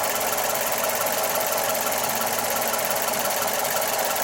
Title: Mazda 3 MPS/ Mazdaspeed 3 strange noise